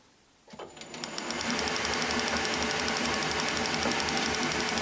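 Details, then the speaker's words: Wassell (Vape) electronic ignition on a bench rig, negative earth: crisp, even snapping about four per second; lovely blue, healthy spark every turn. "so you should be able to see that I mean that is a lovely blue spark"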